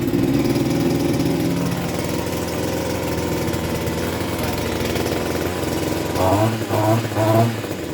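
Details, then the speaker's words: Mitox 28MT Select 25.4cc two-stroke petrol multi tool, started first try with choke then choke off: high, raspy idle holding steady, with quick throttle blips rising and falling cleanly; running normally. "Let's see if it starts first try. It did start first try. Take the choke off."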